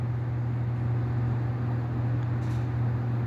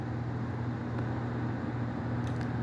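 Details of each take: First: Split AC indoor unit blower motor, removed from the blower and run alone: steady low hum with a rough, gritty undertone; the motor's two bearings are worn, while the blower and bushes are fine, so the motor is replaced. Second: Split AC indoor blower (BLDC/DC motor) after blower motor change and connector reconnection: steady, even low hum with no ticking, rubbing or wobble; indoor fan running smooth and healthy.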